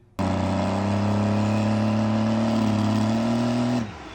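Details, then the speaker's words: Cummins diesel race truck at Ultimate Callout Challenge 2021, after a stuck-open injector was swapped, spooled up in the pit at high revs for about four seconds; smooth rising turbo whistle, no knock, sounds fine. "Sounds fine."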